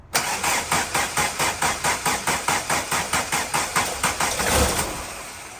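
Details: 1991 VW Jetta GL diesel after fuel filter change and priming with temporary electric pump, removed and line rerouted: cranks, catches, settles into even idle about 140 beats a minute, steady clatter fading smoothly; healthy normal start.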